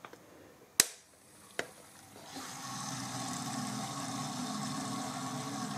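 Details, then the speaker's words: A couple of sharp clicks, then a steady even rush of water with no pulsing from a workshop heating system pump, after an airline blast cleared muck from a suspected airlock: the pump is now circulating normally. "And if you can hear that now, it's not pulsing anymore. And it sounds incredibly like it's circulating, so the next thing to do is test it."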